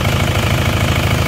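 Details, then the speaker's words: Isuzu Panther diesel, before repair, morning idle: deep steady idle with a rhythmic chuffing pulse; pressurised smoke jets from the dipstick tube and oil filler cap, severe crankcase blow-by from worn or stuck rings. "Jadi asapnya menyembur ya. Pada saat pagi hari asapnya sama tekanan udaranya sudah menyembur."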